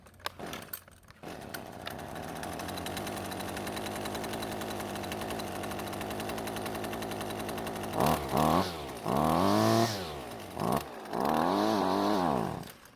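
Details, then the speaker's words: Husqvarna string trimmer two-stroke, retested after reassembly: revs in bursts, then sags and cuts out on throttle release as if switched off; stalling returned, cause still unknown. "And just like that, it fell on its face as if it was turned off."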